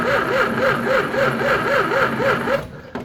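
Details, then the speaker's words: 1934 Chevy four-door sport sedan barn find, not run in 23 years: slow, even starter cranking at about four turns a second, engine never catches; no spark, so it cranks but won't start. "oh we didn't hook the wire up guys thinking man we ain't got no spark it's cuz we don't it's cuz we don't"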